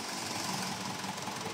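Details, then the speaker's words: Mitsubishi Montero Sport diesel after engine overhaul, previously smoking heavily and vibrating with a soaked number three cylinder: even diesel clatter at steady idle, no misses or surging; smoke gone, running smoothly. "okay na siya so napakanda na ng andar"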